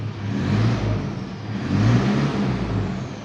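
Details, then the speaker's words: Mitsubishi Pajero Sport diesel revved from the cabin before a test drive, after a fuel leak repair. The injectors were repaired with new nozzles and the EGR closed, and idle is now more stable. Two smooth free-rev swells rise and settle cleanly with no knock, miss or hesitation. "Oke, kita akan tes drive, Teman-teman, sambil coba gas-gas dulu."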